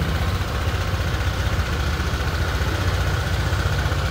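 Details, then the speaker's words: Honda Click 150cc Thai-market scooter, near-new: even steady low putter with no knocks, rattles or hunting; smooth settled idle, very quiet engine. "nó quét trong máy chứ nó không xài nó không xài trái khế trước nha máy êm quá"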